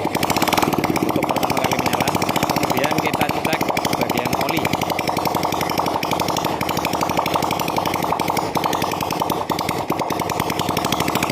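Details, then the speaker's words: Vega R motorcycle bored up with an oversize 450 Kawasaki Kaze piston, first start with no exhaust fitted: loud, sharp, rapid open-port crackle firing evenly at steady speed with no misses. No white smoke; the rebuilt engine runs cleanly. "OK, the engine is running, there is no white acid,"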